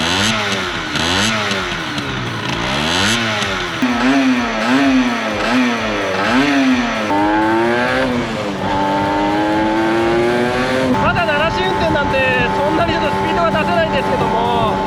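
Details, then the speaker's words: Restored Yamaha RZ50 two-stroke: crisp wail through repeated rev blips pulling cleanly to a high, steady scream; powerband around 7500 rpm; engine sounds healthy. "Dải công suất khoảng 7500. Với Jump chính hãng, tôi cảm thấy nó có tốc độ thấp tốt."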